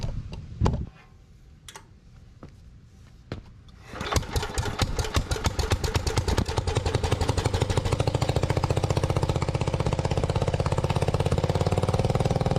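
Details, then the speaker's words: Lincoln Weldanpower AC/DC welder-generator with a Briggs & Stratton 16 hp single-cylinder engine, sat three years, running on its old leaky carburetor: several pulls, then a fast, regular beat that never drops back; idle speed doesn't seem to be regulated. "it did run um it didn't seem to be regulating its idle speed"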